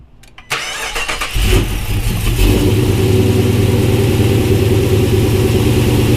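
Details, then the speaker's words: Cammed 2016 Dodge Charger R/T with new lifters, new JLT cold air intake, 392 intake manifold, JBA long tubes, catless mid-pipes: cranks and catches into lumpy loping idle, deep exhaust burble, quiet top end; healthy. "as you can tell the engine up front is pretty quiet so that's probably because of the new lifters and stuff so it sounds pretty good"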